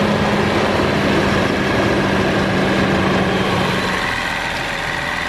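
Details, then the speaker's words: BMW 760Li, N73 V12, cold start right after engine air filter replacement: loud steady whirring hum over fast cold idle, then pump drops out and idle settles; normal secondary air pump, active about 90 seconds. "you're wondering what that loud noise was from this area on startup, it's actually the secondary air pump. It stays active for around 90 seconds"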